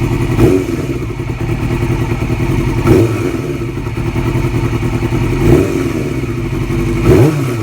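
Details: 2002 Yamaha R6 four-cylinder, ticking present since purchase, cam tensioner already replaced with a manual APE unit: idle blipped every couple of seconds with light top-end clatter from the cam area; owner fears valves, cause unconfirmed.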